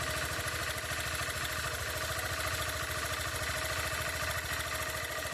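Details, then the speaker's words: Honda CG160 motorcycle, zero-km new, at cold idle on a morning start: light, busy clatter ticking a few beats per second; abnormal mechanical engine noise, cause unknown. "Que barulho é esse aí jovem dá para mim falar sobre esse barulho aí ó toda vez de manhã que liga é"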